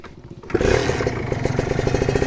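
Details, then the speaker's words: Kawasaki Ninja two-stroke motorcycle engine; after starting, quick regular light ticks over a crisp idle, a slight rattle from a worn valve kit; still judged worth buying, though the piston's history should be checked. "Nah ini memang ada sedikit ke meletek Tapi ini masih worth it buat dibeli"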